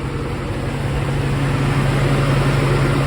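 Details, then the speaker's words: 1999–2002 GM truck (Silverado/Tahoe-type) with upgraded Dorman electric fans, idling warm around 185–190°F with AC on: steady idle drone and smooth rush as the AC-controlled high-speed fan kicks on; normal cooling fan operation. "there's my AC hear that high-speed fan kick"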